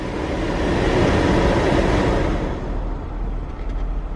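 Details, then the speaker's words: Chevrolet Impala 9C1 after replacing the faulty blend door actuator with a junkyard part: steady blower rush over the idling engine with no popping or clicking "blend door bongos"; normal blend door actuator operation after repair. "turn on some air i got some airflow all right i don't hear more blind door bongos"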